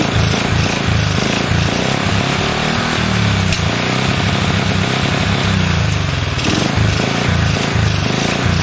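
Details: Honda CL70 loud single-cylinder putter surges and sags instead of settling to a steady idle; jets changed 73 to 75 and 38 to 40, cause unknown.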